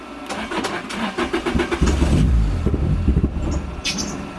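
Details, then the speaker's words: Turbocharged Lotus Elise (ForceFed, 275hp) with new fuel pump, sock and pressure regulator: starter cranks in uneven beats, engine briefly catches and stumbles then sputters out; no-start, owner suspects the tune, cause unconfirmed. "so it's wanting to start and then it sputters out"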